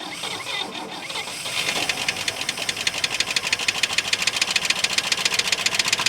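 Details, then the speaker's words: 1959 Oldsmobile 98 coupe, engine on first run with a temporary fuel tank and pump, fuel filter leaking: after cranking, a sharp regular knock about four per second over a rough idle; owner hopes it is just a dry engine; engine knock. "okay so it does run it does have a little bit of a knock here um i think it's just probably the motor's dry i mean i'm hoping that's what it is anyways"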